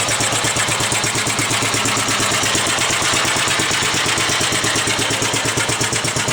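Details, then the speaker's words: 1945 Gravely Model L walk-behind tractor at first start-up, after gently used oil and bled oil lines, and pull-started, the starter possibly spinning too slowly. Even single-cylinder putt at about three firings per second, steady, with no misses, knocks or smoke. "all right not bad 45 is run I think runs nice that's for sure"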